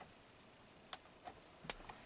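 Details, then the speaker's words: 1997 Ford F-150 electronic shift-on-the-fly 4WD, intermittent no 4WD, code P1838 transfer case shift motor circuit; faint uneven relay clicks without shifting, works when relay box tapped. Suspected bad solder joint in relay box. "it's trying if i tap the box it works so that proves the problem is right here i'm suspecting a bad solder joint in that magic relay box"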